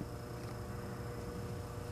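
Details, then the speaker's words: Frigidaire 5400426 antique fridge compressor running after a test refrigerant charge: even low hum with a steady tone, no rattles or clicks; current dropped from about 3.2 A to 2.3 A and the evaporator is already getting cold. Normal compressor hum. "It started out at about 3.2 amps, now it's down to 2.3. The evaporator is already getting cold. I'm so delighted."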